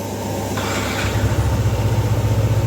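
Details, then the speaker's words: Yamaha NMAX scooter after replacing damaged and broken parts behind heavy white smoke, fully reassembled. Starter whirr, then catches into a steady, evenly pulsing low idle, no knocks or misses; leftover oil in the exhaust may still smoke on throttle: normal idle. "Jadi untuk sekarang bisa dikatakan aman ya, kecuali nanti kalau kita open gas karena masih ada sisa oli di knalpot, pasti ada oli ngebul atau asap putih yang ada di knalpot,"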